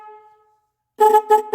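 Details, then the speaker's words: Car horn powered directly by jumper wires to battery positive and negative: silence, then three strong steady honks with a clean full tone; horn itself works fine, fault is a wiring problem. "we're not gonna go through that right now just because the fact that we know the horn works and we know it's a wiring problem"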